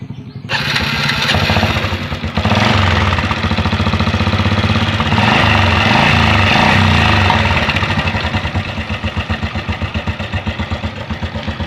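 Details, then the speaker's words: Honda Blade motorcycle engine idling with busy metallic clatter over the pulses: loose cam chain, due to wear or long mileage; leaking piston rings causing smoke also mentioned as a possible cause. "Oke, di sini yang terdengar jelas adalah suara dari longgarnya rantai temeng. Rantai temeng bisa juga disebabkan karena memang dia sudah waktunya ganti karena kelonggaran ataupun jarak tempuh pemakaian yang lama."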